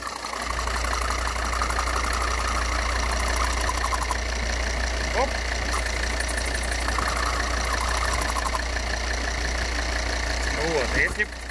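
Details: 2013 Volvo XC60 2.4D diesel (D5244T10), complaint of cylinder-head noise; idling with loose, uneven knocking about three a second over the drone as the vacuum intake flap pulses, caused by a ruptured membrane in the failed vacuum pump check valve.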